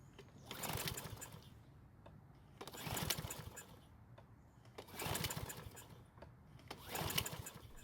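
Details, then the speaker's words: Troy-Bilt mower with auto-choke carburetor, won't start after winter storage despite fresh fuel: four pull-cord cranks, each a quick whir that never catches; no fuel getting through, traced to a clogged main jet. "so of course it's not going to start which means we're going to have to help it to start now this is an auto choking carb so there's no priming needed but if that system fails it will not allow the engine to start"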